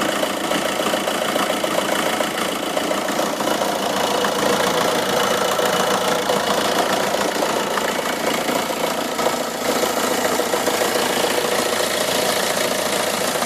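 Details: Vauxhall/Opel Astra H Mk5 1.7 diesel at 98k mileage: even diesel clatter at a steady idle with no misses, knocks or hunting. The engine is running clean and healthy.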